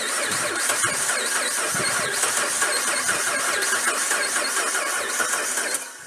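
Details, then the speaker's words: Truck (2011 Ram 1500 or 1975 Ford F-150) cranked by jumping the starter relay with a jumper wire: the starter turns the engine slowly with an uneven galloping rhythm of about 160 per minute; internal engine issues are suspected. "Yeah, we can hear that has a very uneven gallop to it. It's turning over slow. It's got uneven gallop."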